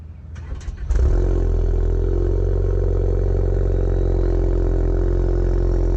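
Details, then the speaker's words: Ford Focus cold start: short crank, catches within a second, then settles into a steady, even idle with no misses or knocks. Normal cold start idle. "I'm doing a cold start on the focus here so let's get that done"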